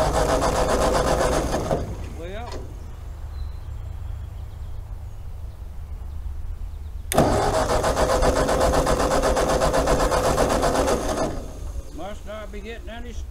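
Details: Ford 8N tractor, long sitting, fresh gas, sediment bowl checked: starter turns engine at about four beats a second in two long bursts but it never fires; cranks, no start.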